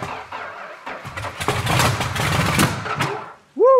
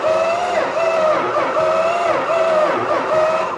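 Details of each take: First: Petty Blue Plymouth Superbird V8, V-code car missing its original six-pack, unrun about 40 years: ragged, uneven firing bursts that stumble and catch on poured primer fuel; dry engine struggling to start, runs briefly and catches fire. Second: Plymouth Superbird, Petty Blue, after starter and alternator swaps: starter whine rises and dips evenly about every 0.7 seconds; cranks over normally with good compression.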